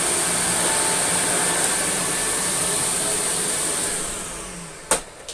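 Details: American Viking 507 Electronic vacuum cleaner (US-market Electrolux), first look: smooth steady high motor whine with even airflow rush winding down at shutdown; motor runs healthy and quiet.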